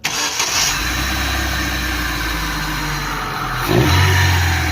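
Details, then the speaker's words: Daewoo/Chevrolet Nexia with a suspected alternator bearing noise: with the alternator belt removed the engine runs steady and even with no whine or rumble, confirming the noise comes from the alternator, which vibrates and was later found falling apart. "давай всё однозначны генератор вот сняли вибрирует аж сни до Кон разберём посмотрим"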